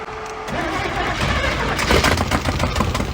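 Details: V8-swapped 1972 Mazda B1600, first fire after spark check with valves adjusted: cranks briefly, then catches and builds into a rough but steady run as the throttle is worked; starts and keeps running, timing still to be adjusted.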